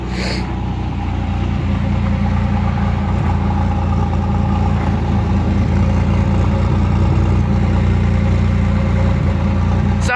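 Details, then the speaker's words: 1985 Pontiac Firebird, sat for a couple of years, new battery, cold idle recorded outside at the exhaust; steady, even low burble, no hunting between RPMs as it usually does, no misses; healthy. "pretty good. It's actually not fluctuating between RPMs a whole lot today. Up here, nice and quiet. Can't barely hear it."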